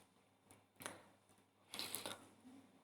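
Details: Hard drive that clicks when connected through a drive case by USB or to a receiver and won't be detected; sharp dry clicks and a short scratchy burst with no reading rhythm, platter spins but heads fail to read data.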